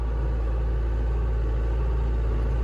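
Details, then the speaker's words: Mustang skid loader, likely diesel, running in cold weather after its starter, which had frozen and rusted from water, was repaired; deep, even rumble with a steady beat and no misses or knocks; normal running after repair. "yeah that's pretty I like that sound"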